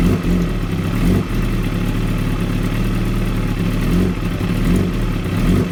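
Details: 2016 Kawasaki ZX-10R: low idle stumbling and wavering every second or so instead of an even beat; very rough, uneven idle, cause unknown.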